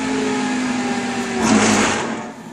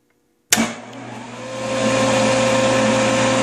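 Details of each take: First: Motor on a Baldor 18H vector drive, faulting high DC bus: steady hum cuts off, then a rough growl swells on spin-down as amps jump to 1.0; owner suspects start capacitor discharging through start windings. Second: Benchtop belt-drive table saw with a dado blade, driven by a Baldor VFD suspected of failing but now working, spins up and runs unloaded: clean, steady hum and whine; normal no-load run.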